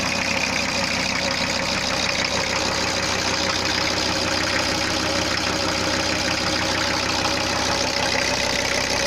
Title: VW T4 2.4D - first start after head rebuild